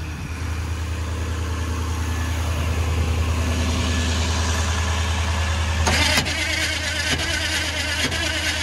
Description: Well one last attempt at starting the big Detroit Diesel then she's off to the scrap yard!